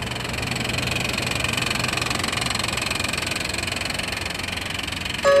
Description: 1995 honda passport (isuzu rodeo rebadged) v6 3.2 making a lot of racket for awhile now.